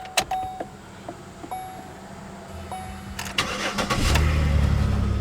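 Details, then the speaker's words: 2009 Chevrolet Impala after replacing both gas lines: starter cranks briefly, engine catches promptly and settles into a steady even idle with no knocks or misses; normal start and idle. "see it starts right up nicely air conditioning works good"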